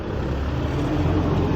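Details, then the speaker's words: Detroit DD15 diesel at 900 rpm idle after replacing all six injectors (cylinder 2 injector cracked, pushing compression into the return line and aerating fuel): smooth low rumble, pinging/chirping gone. Normal idle. "rpm as you guys can see the noise went away there's no more pinging noise"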